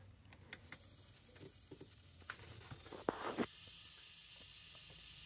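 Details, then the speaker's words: Bleeding a second-floor loft radiator that has not been heating: faint steady hiss, then a brief louder rush of escaping air with no water yet; radiator full of trapped air. "right as you can hear the air this one's full of air"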